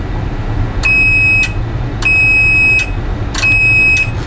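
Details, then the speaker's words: Replacement relay for a Rotel RB-1092 Class D amplifier, whose old relay had burned contacts, on a continuity tester: three steady, unbroken high squeals, each held while the relay pulls in; the contacts conduct properly. "I'm going to test it like I tested the other one and you should hear it squeal constantly whenever the relay is activated"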